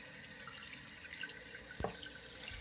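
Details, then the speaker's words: Toilet tank refilling after a new flapper valve and new float fill valve were installed to fix constant running; steady hiss of water with light splashing and a drip; normal refill. "notice it's filling down here and this is filling so it's filling up"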